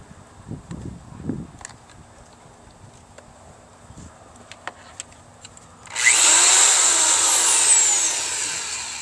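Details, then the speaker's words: Power drill run from 750 watt inverter on 12 V marine/RV battery charged by 45 watt Harbor Freight solar kit: after quiet lead-in, steady high motor whine with gritty buzz at even speed; drill runs normally. "Ronnie can run his power drill on the 7 750 watt inverter so and seems to work pretty good"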